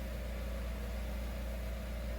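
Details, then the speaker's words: Jeep Renegade 1.8 flex idling after engine mount replacement: quiet, steady low hum with no knocks or rattles, idling smoothly and evenly; the vibration previously felt in the cabin is gone. "é de cara pra perceber que é vibração aqui ó e não tá passando mais aqui para dentro não era muito não era pouco mais em e agora já não tem nenhuma"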